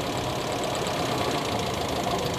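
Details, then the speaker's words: Toyota Kijang with independent ignition, idling, checking spark plug 4: rough idle with a loud, sharp, regular snapping tick from coil spark jumping; cylinder 3 had no spark at all. "di nomor 4 ada perbedaan suara tekteknya cukup kencang dari loncatan"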